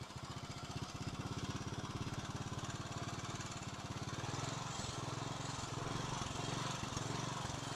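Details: Kawasaki 9 hp single-cylinder tractor engine after its cracked spark plug was found as the fault: steady, even putter at idle about 2.5 beats per second, rising slightly as throttle opens; runs clean, still needs small adjustments and a new plug.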